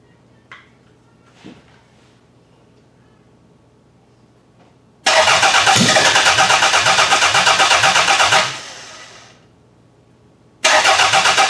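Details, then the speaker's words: Demolition-derby car engine that was pulled from a garbage pile, first start attempt: starter cranks at a steady even beat for about three seconds, then again, never catches; no spark on a test plug, water coming out, owner suspects bad coil pack. "I'm not seeing any spark but that was just a fire which is kind of weird that was kind of weird that it tried to fire there but not showing any"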